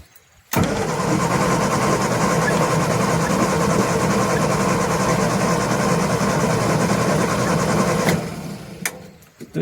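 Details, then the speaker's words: Morris Minor, A-series engine, sat unused since 2017, spark confirmed, fuel bowl filled by hand, choke out: steady churning crank about four beats a second for seven seconds, never catching; cranks but won't start, brake cleaner next. "got um fuel and spark. I tell you what, we'll put some brake cleaner down and see if that will make it go."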